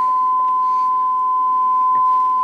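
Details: Restored Dynaco Mark III tube amplifier at about 76 V variac input, bias being checked: clean steady high test tone without wavering or buzz over quiet room; amplifier passing signal cleanly.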